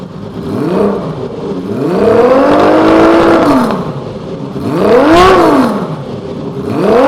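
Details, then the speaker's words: Kawasaki KZ1300 inline-six motorcycle, an older bike, started and blipped: crisp throttle blips rise and fall cleanly, and the six-cylinder pulses blend into a smooth, even howl; the engine sounds healthy. "잡았다 놨다 붙고 떨어지는게 소리가 들려요 그래도 연식이 있으니까 시간을 좀 많이 줘야 됩니다"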